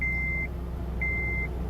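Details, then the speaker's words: 2007 Acura RDX turbo after knock sensor replacement, hot day: steady, even low rumble under loud radiator fan roar, chime beeping twice; engine runs smooth and healthy. "That's a good sounding engine right there. Besides my loud radiator fans going off, it's a super hot day."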